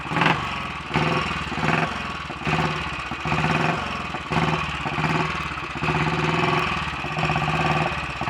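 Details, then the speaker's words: Royal Enfield Bullet 500 single, ported head, shortened aluminium barrel, 9:1 piston, ignition timing strobe-set, warming up: slow loping thump picking up slightly with small surges; normal, idles faster when fully warm; battery and fuel flow still to sort. "that's just a little bit quicker now and once it's fully warmed up it will take over faster than that"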